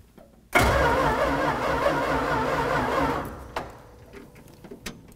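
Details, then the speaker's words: 1965 Dodge A-100 truck, not started in 22 years, first start attempt after replacing mouse-chewed plug wires: starter churns about 2.5 s with uneven chuffs, nearly catching but not running. "sounds like we might have something here gas down the throat"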